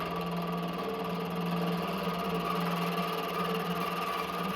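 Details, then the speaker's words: Used mini milling machine with thin spindle belt, rusty and dirty inside, cutting steel with oil: steady loud machining drone with a strong fixed tone and rapid fluttery chatter; Y axis unlocked and drifted; noisy cut, no clear cause. "結構、大きな音を立てながら削るので、ちょっと怖いです。"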